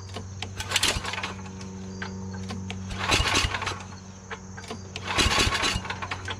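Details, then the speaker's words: MTD Yard Machines 24-inch two-stage snow blower with 8 HP Tecumseh Snow King engine, before carburetor replacement: steady drone with loose rattling bursts about every two seconds, intermittent, suspected loose screw in the recoil starter. "now it goes away again i don't know what that sound is i've never heard that sound before now i don't hear it but it it's almost like it's part of the recoil you know"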